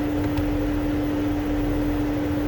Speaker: you can hear the fan is stuck in high speed position